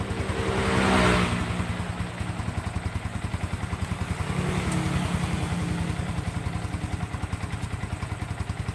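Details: Yamaha Vixion motorcycle after repair (previously would not start), suspension restored to standard, throttle and tilt sensors left as-is; crisp, even exhaust pulses rising and falling cleanly with throttle blips, no knock or rattle; normal healthy revving.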